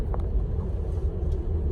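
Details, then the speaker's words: 2000 Cadillac DeVille six-door limousine, long unused, driving at about 35 mph: smooth, even low rumble at steady cruise with no knocks, ticks or misses; engine sounds good with plenty of power, normal running. "Seems to be doing good. The engine sounds good. It's got plenty of power."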